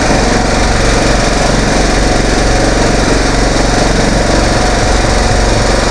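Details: Kohler 15.5 hp single-cylinder engine from scrapped Craftsman rider, new oil and air filters: steady even thump, no knocks or misses, runs smooth and strong; earlier screeching was probably mud daubers burning off.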